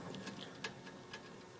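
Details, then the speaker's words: Worn inner/outer wheel bearing from a 2001 Ford Expedition 2WD turned by hand; quiet uneven gritty clicks and grinding, with noticeable play. "here I'm grinding the stuff now cuz I moved it like that"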